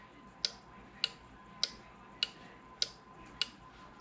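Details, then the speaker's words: Four-pin automotive relay bench-tested on a 12 V source with a relay tester: sharp, even clicks about every 0.6 seconds, with the green light blinking and then going solid, indicating a good relay. "you can see the green light blinking you can hear it clicking and now I have a solid green light what that tells me this is a good relay"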